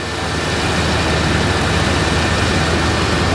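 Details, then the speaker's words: 1986 Chevrolet K30 cab-and-chassis truck idling high after a loose leaking hose was fixed and the air cleaner refitted; steady, even drone at a raised idle with no dips, not as high as before, cause not pinned down. "Uh-oh. Oh, what? Sounds like it's idling up."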